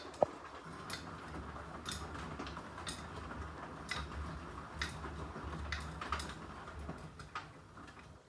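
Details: Beko washer: a light, regular tick about once a second over a quiet low hum; ticking noise of unknown source.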